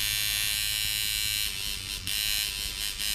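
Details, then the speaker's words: Mojobox tattoo machine at 6 volts, stroke adjustment knob set by listening for pitch change: steady high buzz with firm, even hits and no rattle or stutter; correctly set stroke, normal running. "You know, at 6 volts, it's hitting about as hard as it's going to hit, and you can turn it up and it'll get harder."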